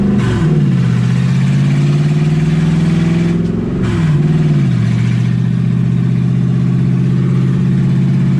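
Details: 1UZ V8 in a Ford Falcon, warm with radiator hot and gauge around 160, first drive: idles high and won't settle, hunting up and down twice. Owner unsure why; erratic high idle.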